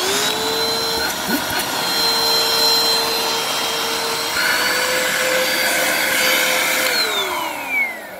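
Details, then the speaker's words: Bissell PowerForce Compact 1520 vacuum (made late December 2016): motor whines at a steady, strained pitch with little air rush, wavering slightly; lower hose visibly clogged, otherwise seems fine, brush spin unchecked. "so this lower hose is clogged well that's very clawed I can see that in there yeah so lower hose is clogged on that beyond that it seems fine"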